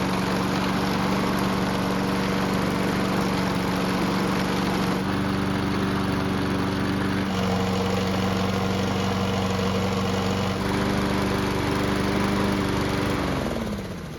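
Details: Aging Honda walk-behind mower after fixing speed selector: engine runs evenly, stepping cleanly between speeds, then winds down at shutdown; running healthy.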